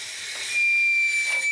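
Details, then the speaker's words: BMW 3 Series E21 cylinder head being pressurised with compressed air to 4–5 bar for a pressure test: sharp, steady high-pitched hiss of air escaping between the head and the blanking plug; the seal is not tight, so the plate is tightened further. "Ce bruit strident est le signe que l'air comprimé passe entre la culasse et le bouchon. Il signifie que l'étanchéité n'est pas optimale."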